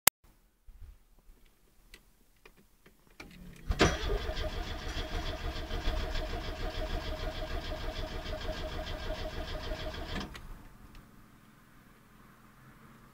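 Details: 1980 Porsche 924 Targa that suddenly stopped starting; a few clicks then about six seconds of steady starter cranking that never catches; crank no start, cause unknown.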